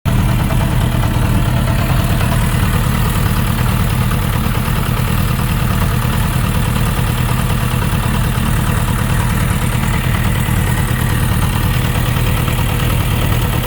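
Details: Suzuki RF900 motorcycle idling: light fast tapping over the low engine note; knocking of unknown origin, owner was told possibly connecting rod bearing clearance, not confirmed.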